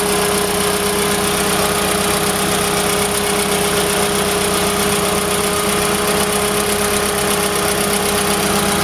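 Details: Golf GTI 1800 engine at steady idle: a constant mid-pitched whine with faint regular ticking on top; an abnormal noise whose source is not identified.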